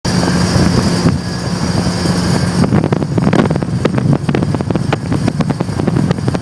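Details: Loud heavy low droning rumble with rattly roughness while driving, just after installing a new one-piece aluminum driveshaft; owner asks if U-joints need greasing, cause unknown. Loud drivetrain noise.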